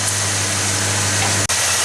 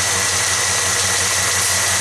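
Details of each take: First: V8 truck idling smoothly with no miss under hiss of water sprayed on each exhaust tube; every tube steams, so all cylinders are firing correctly: normal idle. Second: Truck engine idling with one plug wire deliberately removed: rhythmic uneven lope with a hole in the exhaust beat three or four times a second; dead cylinder misfire from the disconnected plug wire.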